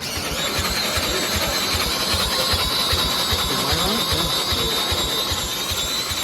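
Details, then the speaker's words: Gravely Rapids with Briggs Vanguard overhead-valve engine, running after valve adjustment: small single with a hunting, rising-and-falling note over rapid even pulses, sounding like a vacuum; abnormal running, cause unclear. "why does it sound so it sounds so weird just sounds so weird doesn't it sound [Music] weird going up and down sounds like a vacuum"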